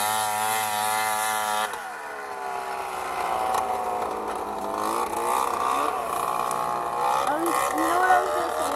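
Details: Two-stroke snowmobile revving after jackshaft bearing replacement and 2 hours of riding: raspy harsh edge rising and falling with throttle; owner suspects an exhaust leak.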